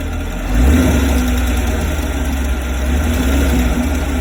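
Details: 2017 Chevrolet Camaro 6.2L V8, about 20,000 km, stock, warm steady idle with faint fast tick over low rumble; only when warm, rear driver side, very audible from below near oil filter/pump on a lift; source unknown, owner fears engine damage.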